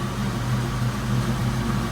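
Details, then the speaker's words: 1992 Mustang GT Foxbody V8 idling after the engine bay was reassembled: a deep, steady burble with even firing and no ticks or misses; the exhaust sounds better than ever and it's running pretty good. "it's not a good to exhaust they actually sound better than ever hands [Music] yes she's running pretty good"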